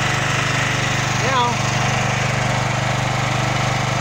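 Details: Champion 9000 W dual-fuel electric-start generator, which started then died with a loud backfire, after fix: even, quick firing beat holding steady, one brief squeak, no stumbling or backfire; running normally.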